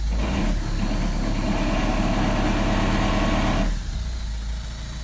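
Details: 2009 Ford Mondeo MK4 2.0 TDCi 140 diesel, six-speed, about 164,000 miles, idling with coarse fast low rattle that stops abruptly; suspected dual mass flywheel failure, clutch and flywheel to be replaced.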